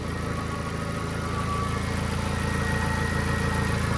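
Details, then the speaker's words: VW Gol G4 with hydraulic power steering, engine idling warm, exhaust leak also audible: faint groaning, worse when warm and when steering; it stops while the wheel is turned and returns when released. Power steering pump suspected, not confirmed. "Deixa eu mexer aqui no volante do carro. Perceba aí, pessoal, quando eu mexo o barulho para, ó. Mexi, ó. Parou, ó. Soltei o volante, ó. Continua."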